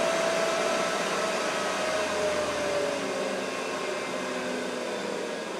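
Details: Mikini 1610L with a replacement inverter-duty AC motor on a Hitachi VFD, slowing from 120 Hz back to base frequency: steady fan rush with the motor whine sliding lower, no rubbing or knocking. Normal run-down.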